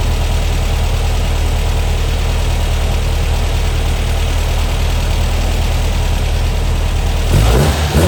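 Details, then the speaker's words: Brand-new 2110cc air-cooled VW flat-four turnkey engine at first start, first 20 minutes, timing slightly off: deep, steady thrum with even beat and a brief rev, no knock; healthy, slight valve noise on one side before valve adjustment. "first 20 minutes is done everything sounds good we're going to adjust the valves i hear a little bit on that side and that's expected on any motor"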